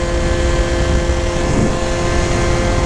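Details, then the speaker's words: Polini Evolution 70cc cylinder kit, straight out of the box, on a vertical Minarelli Yamaha Zuma cruising 50–55: steady high-pitched two-stroke drone plateaus; the engine wants more revs but the gearing is too short, needs upgearing. "But you can hear it. The cylinder wants more rev. The gearing in the bike does not. We need to upear this thing, boys."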